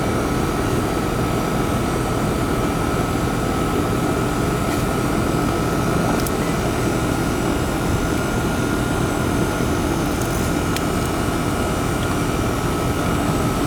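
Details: American Standard/Trane AC condenser with a hard start kit, after the burnt fan wiring and cooked capacitor were dealt with: steady even whir with a faint constant tone over a low hum, no knocks or scraping; the condenser runs normally.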